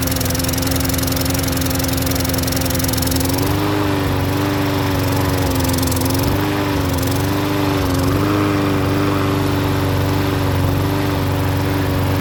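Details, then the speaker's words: Troy-Bilt self-propelled mower with Briggs engine; the restart failure after shutoff was traced to a dirty carburetor, and the carburetor and main jet were cleaned. During the restart and tilt test it holds a steady, even mid-pitch drone with no misses or surging. "i cleaned that out cleaned out the main jet and now she's starting on a regular"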